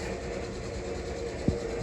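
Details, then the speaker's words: Old Wood Gun downdraft gasification wood boiler, draft fan on the back running while heating, stack about 120 degrees: steady low whirr turning evenly with one brief thump, no rattle or squeal; normal fan running. "she's still running you can hear that fan motor running"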